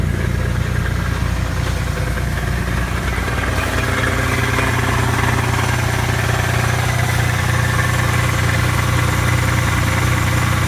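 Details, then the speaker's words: Cold start of a V6 automatic Camaro after sitting for a year: a heavy, steady deep knock about three times a second from the bottom end, a rod knock. The transmission was recently replaced. "it's got a real bad knock in the bottom end but it's just not worth it to fix it"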